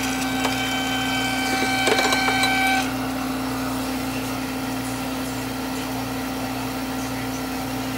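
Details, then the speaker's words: Miller oil furnace in a trailer home on a no-heat call, with the purge button held through the purge cycle: steady motor hum with a low throb about three times a second; the technician finds air in the burner fuel pump, which needs purging. "i'm thinking there's air in the pump all right so once we start it i'm going to hit this and i'll go through a purge cycle it'll give me time to purge this this this pump"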